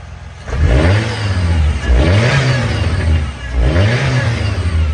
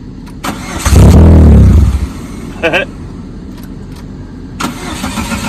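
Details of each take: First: Abandoned 2001 Chevrolet Cavalier with a new fuel pump and fuel filter and a patched fuel line, running with the fuel tank still lowered. Engine blips up three times and falls back cleanly with no misses; normal revving. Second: 2001 Chevrolet Cavalier, abandoned, new fuel pump and filter, restarted after driving home: brief crank, catches, uneven pulsing idle about three beats a second, lots of smoke; owner suspects intermittent wiring harness fault, radio also without power.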